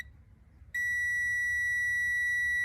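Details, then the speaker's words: Tractor oil pressure switch checked with a multimeter, engine not started: quiet, then a steady high continuity beep holds, showing closed contacts as expected. With the engine running it should not beep. "คือปกติถ้ายังไม่สตาร์ทมันจะดังมันจะมีเสียงดัง"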